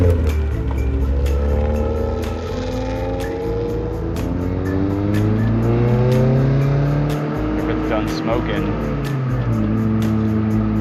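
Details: Honda EF Civic with new Ksport coilovers on test drive: pitch climbs smoothly through revs, turning harder and sharper up high; normal VTEC engagement.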